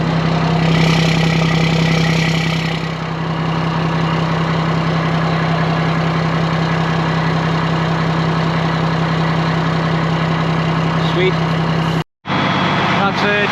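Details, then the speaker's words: ERF EC11 lorry diesel, just MOT-passed, left on fast tick-over in the yard to warm through for about an hour; steady even clatter at raised tick-over, no knocks or misses; normal fast idle, sounds good. "That's just sitting running on fast tick over. That sounds good, that."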